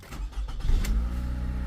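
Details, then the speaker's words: 2017 Toyota Camry with a crank-no-start and flashing red security light, started after the key transponder ring was replaced: a few quick cranking chugs, then it catches cleanly and settles into a steady, even low idle. "car starts Quick Fix guys"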